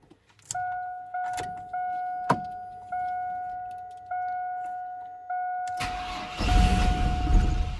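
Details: Chevrolet S10 unrun for 5 years, after a fuel tank swap, with fuel confirmed at the fuel line: a warning chime repeats about once a second, then the starter grinds briefly and it never catches. Owners suspect a fuel injector plugged by bad ethanol fuel.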